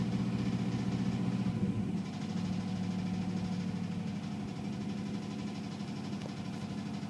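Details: 1996 Chevrolet Silverado K1500, Vortec 5.0 V8: a deep, uneven knock about three a second from a rod knock that keeps getting worse; metal shavings in the oil, reman engine ordered.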